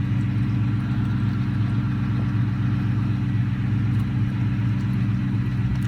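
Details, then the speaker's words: 2003 Ford Mustang GT V8 after small fixes and transmission fluid top-off: steady deep burble, even regular pulse, no knocks or ticks; runs really good, transmission shifts perfect. "running really good. The transmission shifts perfect."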